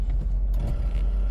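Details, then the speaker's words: 2004 Land Rover Discovery 2 in four-wheel low, in drive with foot off the brake and hill descent control active: deep steady drivetrain rumble with soft, uneven thumps as the ABS pulses the brakes to hold descent speed; normal hill descent operation. "you can hear the ABS kicking in and controlling the hill descent control."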